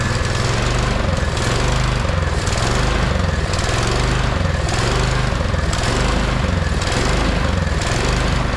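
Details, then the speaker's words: 22-inch MTD Yard Machine snowblower, owner thinks 5 hp 179 cc electric-start engine, neglected and would only run on choke: the engine hunts up and down about once a second and never settles, surging from a restricted carburetor main jet that needs drilling out. "The problem was it would only run on choke and it was surging. So hopefully we fixed that surging problem."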